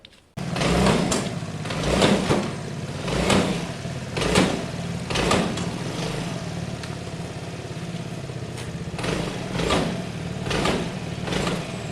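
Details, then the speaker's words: Piaggio Fly 125 scooter: dull clunks about once a second from the front end as it is pushed; the forks are suspected of having no oil. "the issue's still there let's see if we can hear it and see it maybe it's a clunking"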